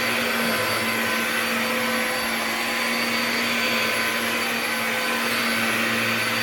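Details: Bissell Powerglide 1647 vacuum after cleaning restoration (disassembled, vacuumed out, wiped, plastics polished), part refitted and run: steady high-pitched motor whine with even airflow rush, no surging or rattles; vacuum motor runs smooth and healthy.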